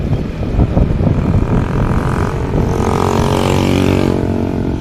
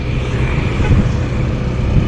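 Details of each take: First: Yamaha NMAX scooter after replacing the primary driving gear and its bearing. The transmission noise that appeared from about 20 km/h and faded by 40–50 km/h is gone. It now pulls smoothly with a steady engine drone and no gear whine. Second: Yamaha NMAX scooter: loud drone like a plane taking off, appearing from about 20 kph and fading by 40–50 kph, with a faint whine; transmission fault traced to a worn primary drive gear, which is to be replaced.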